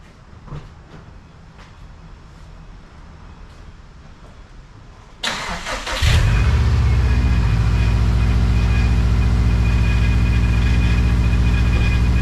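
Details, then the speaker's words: 2012 Subaru Impreza STI: engine fires and settles into a loud steady run with a constant high whine; power steering pump whine from low fluid due to leaking power steering lines. "oh yeah the infamous sound and right off the bat I don't see any leaks yet"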